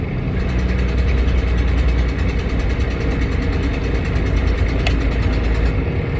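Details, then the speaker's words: Peterbilt diesel truck, Jake brake on stage 2: heavy rumble with fast sharp puffing tick from an exhaust manifold leak; turbo rebuilt in summer with VGT code, air compressor passing some oil, clutch done last year. "Got a little bit of an exhaust leak on the manifold, but the turbo was rebuilt in the summer, and that's given us a VGT code, variable geometric timing, on the turbo."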